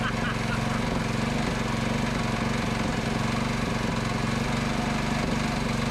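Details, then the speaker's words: Predator 224cc Max Performance engine with HEMI head, running with throttle cable disconnected: fast single-cylinder thumping with loose metallic chatter as vibration shakes loose throttle linkage parts; owner must refit and tighten them. "now it's shaking all the parts although it's shaking the other throttle stuff that's loose inside it is shaking it off um i need to grab that stuff before it falls out and put it back in his place and tighten it down until i put the throttle cable back in"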